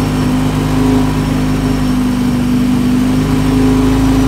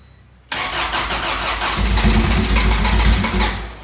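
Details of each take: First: Honda hatch project (EG) first start with engine from a flipped Integra, feared knock or spun bearing: steady even hum with no knocking or ticking; runs healthy, though coolant and oil leaks found. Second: EG hatchback project car first start after fuel and coolant work; catches at once and races to a high, uneven idle because vacuum hoses were left disconnected.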